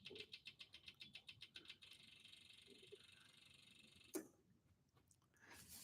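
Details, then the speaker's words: Dixie Chopper mower with diesel engine that won't start, fuel pump heard running: fast, even chattering clicks about six a second for under two seconds; solenoid clicking, owner doubts the solenoid itself is the fault; no-start. "So yeah, you hear the solenoid clicking. I guess you heard it. Yeah, yeah. You can hear the clicking and everything."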